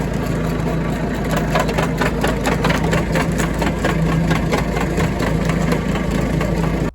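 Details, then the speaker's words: Tractor driving a used Kuhn GA 4101 GTH rotary rake: a rapid rhythmic clatter builds through the PTO driveline as the shaft angle increases. The same angle-related clunk occurred with this tractor's tedder; cause unknown. "something weird down in the PTO when you're on an angle and sure enough it's doing it with this I'll show you start to increase the angle there it goes not like that sound"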